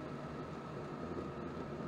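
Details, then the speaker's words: Chinese diesel air heater run down from 3.5 Hz to about 1–2 Hz pump rate: steady combustion roar with rough low rumble and faint pump pulses about once a second; runs unevenly at low rate; owner plans to fit the 16 pump. "schon wieder macht sie schon wieder macht sie Probleme ne also meine anderen die machen das nicht"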